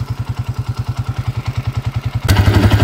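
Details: Honda TMX155 single-cylinder being converted to 200cc, as it ran before the work: steady thump about eight beats a second with dry clatter and a throttle blip; noisy top end, cause not confirmed.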